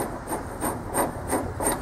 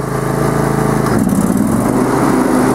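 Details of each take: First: Mower deck spindle with loose bearings in the housing and shaft seized to the bearing, turned by hand: rough, gritty rasping about three strokes a second from a worn spindle bearing; bearings replaced and housings made greasable. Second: Lawn tractor mower deck after a broken pulley was TIG-welded and the bearing housings made greasable with grease fittings: steady, even engine drone and blade hum at one pitch, no knocks, squeal or grinding; runs smoothly.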